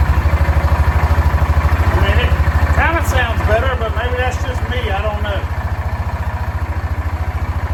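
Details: 2006 Yamaha Rhino 450 started with jump pack: single cylinder idles with steady thump about three a second, any knock underneath faint; owner adds more oil, knock unconfirmed, rebuild planned.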